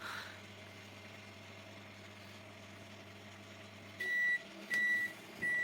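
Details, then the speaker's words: Samsung microwave after repair of loud humming and no heating, the high-voltage capacitor blamed: a steady, even low hum for about four seconds, then three end-of-cycle beeps; it now runs normally and heats water. "чуе что наша микроволновок уже не гудить работае естественный е звук работы"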